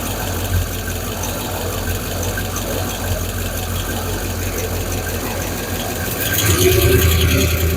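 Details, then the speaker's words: 5.7 Hemi V8 at first start after replacing lifters: steady idle with a slapping, chirping flutter from the front as revs rise, water pump belt routed wrong and half off its pulley. "Oh my belt's on wrong. Oh, my water pump belt is half on the Oh god."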